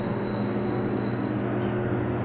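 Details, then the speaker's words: Dover Impulse hydraulic (oildraulic) passenger elevator, believed to have a submersible pump: a thin, steady high whistle over the low rumble of the moving car, fading after about 1.5 seconds. "you guys hear that makes a whistling noise like that"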